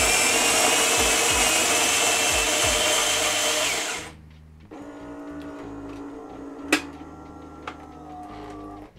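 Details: Nivona NICR 788 coffee machine, worked on for error 8 (brewer drive gearbox), grinding beans for one coffee: smooth high whirring grind about four seconds, then clean stop with light clicks; grinder normal.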